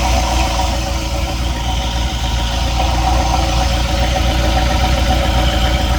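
Steady idle with a fast, fairly regular light tapping riding over the engine note, close to four per second; a knock of unknown origin.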